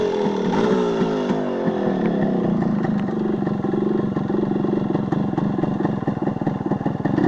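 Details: Yamaha RX135 two-stroke single after exhaust leak repair: revs up and settles with a crisp, even exhaust note, no puffing or ticking, exhaust sounds sealed; normal running.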